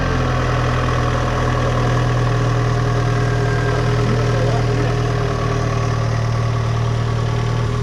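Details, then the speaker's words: Citroen Saxo just after a new timing belt and tensioner, with the original water pump kept: a steady low drone with an even pulse and no tapping or rattle; the engine idles smoothly. "actually I actually think it stops better now that's just normal French noise"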